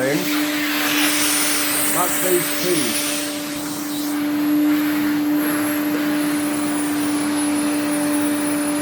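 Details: 1980s Electrolux 350E cylinder vacuum with a poor internal motor, running: steady motor hum under a thin, high, constant whistle, possibly an air leak with source unclear. A washing machine may be running in the background.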